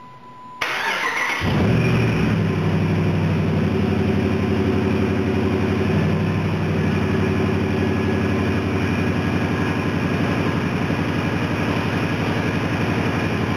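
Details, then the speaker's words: 2008 Dodge Ram 2500 5.7 Hemi after water pump replacement and new belt-drive bearings, cooling system refilled: steady even idle with no chirp, squeal or bearing whine; engine bay much quieter, normal. "the engine bay is a lot quieter with those new with those new bearings Napoli's new bearings and water pump"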